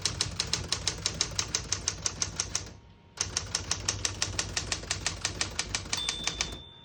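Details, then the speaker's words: 1971 Smith-Corona Super-Sterling portable typewriter, margins set at about 0 and 70: crisp, even key strikes about three per second, short pause for the return, more typing, then a clear margin bell; normal typing and bell. "you hear the bell, you're at the end of the margin. You hit this line space, gets you back to the beginning, and skips 1, 2, or 3."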